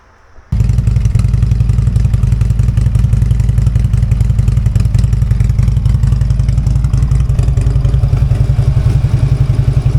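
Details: Harley-Davidson V-twin idling just after a new part was fitted (gas tank left on, battery nearly dead), started to compare with the earlier sound: deep, lumpy idle with steady potato-like thumps, even after it fires; normal idle, no clear difference heard.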